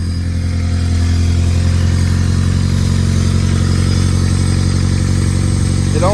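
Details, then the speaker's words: Freshly built Honda D16Y8 reinstalled in an EG Civic, first start after priming, oil pressure being checked: loud steady low rumble, even beat, no knocks or misses; normal idle. "So, let's see if it'll fire and we have oil pressure. She is running, boys and girls."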